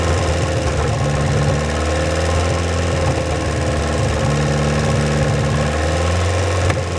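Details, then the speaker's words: 1949 Willys F134 four-cylinder, rigged 12-volt starter, long unrun: low even idle on choke, no misses, knocks or odd noises, firing on all four, slight smoke possibly from hung-up rings; normal idle. "All right, you just heard it run. It sounded pretty good. I didn't hear any funny noises. It looked like it was firing on all four, and I didn't see too much smoke."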